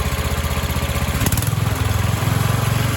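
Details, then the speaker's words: 1976 Sears ST12 garden tractor single-cylinder engine after a new PCV valve, breather and hose, carb cleaning, a flattened flange and new gaskets: steady, even thumping idle with no misses or knocks. Runs well now, and the lights work at high RPM. "They work at high RPM. Runs really good now. I'm happy."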